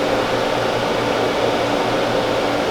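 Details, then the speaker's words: Freedom Patriot CNC router during power-up self-test: steady, even spindle fan whir with a low hum and soft fixed tones, no rattle or wobble; normal spindle fan running. "And you'll slowly hear items come on the machine. You'll hear the spindle fan come on."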